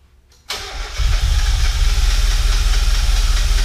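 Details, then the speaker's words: Spec Miata engine build (1.6 vs 1.8 differences) on first start: brief crank, then a lumpy, stumbling low beat; owner suspects wrong spark or firing order, possibly also reversed fuel lines; misfire, possibly from incorrect ignition timing. "Kill it. We got the wrong spark order or something."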